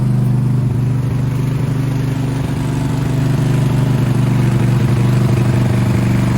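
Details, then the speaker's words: Craftsman riding mower, hot-wired to get past wiring faults, running: an even, steady single-cylinder thump with no misses or knocking. It drives forward and backward, but engaging the PTO kills it and a button must be held down; wiring gremlins are suspected. "Okay, success. It runs, it moves forward and backwards, but I turn the PTO on, kills it."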